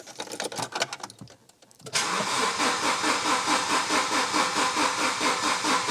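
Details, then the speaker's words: Volvo 700/200-series car that has sat unused a long time: several seconds of slow, uneven cranking, then catches and settles to a steady fast idle; owner suspects stale fuel, not confirmed. "It has been sat for a long time. I think probably the fuel is stale in it."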